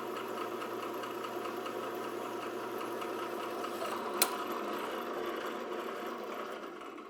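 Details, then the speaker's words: Old drill press rebuilt with realigned motor, fixed tensioning and a 3/4" Weldon-shank annular cutter arbor, drilling steel dry: steady motor hum with fine cutting hiss, then a sharp click as the slug ejects; a clean, perfect hole. "Absolutely perfect. And you heard it eject the slug at the end. That's what that noise was."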